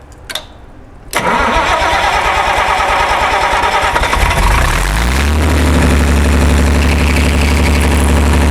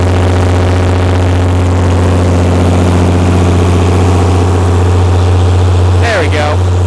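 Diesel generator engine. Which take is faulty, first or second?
second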